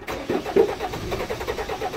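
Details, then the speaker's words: 1991 Ford Explorer turbo diesel, cold start after sitting since July 2016, fuel primed, battery charged: fires quickly, steady even diesel clatter at idle, no misfire or knock; injector return lines later found leaking diesel. "Runs perfect, no problems...."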